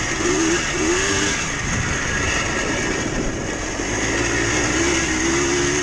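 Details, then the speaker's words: Yamaha Blaster 200 two-stroke quad revving under riding: tinny, bell-like metallic ring over the exhaust rising with revs and worsening over time, plus thickening smoke; crankshaft bearings worn out and neighboring seals going. "The bearings in this quad are pretty much done. There's no helping them. It just gets worse as the machine goes."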